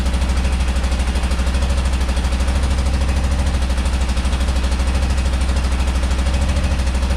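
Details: Rare motorcycle, carburetted twin: loping lumpy beat about three pulses a second; firing on left cylinder only, a carb bowl nearly dry, clogged old fuel filter suspected.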